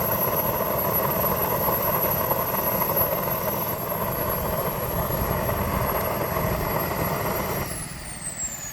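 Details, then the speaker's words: Turbine on a new Longranger helicopter, restrictor already replaced: steady high whine with rough uneven spitting about four times a second, then spooling down; owner notes it clears with added throttle; uneven combustion suspected, unconfirmed. "Yeah, Ross, what causes this? Once I add throttle, it's fine. Yeah, Ross, it's still making that noise."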